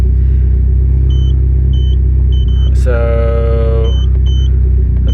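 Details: Mitsubishi Evo 10 after MIVEC delete cam gear install, solenoid unplugged so it throws code P1025; power steering fluid ran out. Deep, steady idle rumble with a few faint chirps, no knocking or ticking; idling smoothly.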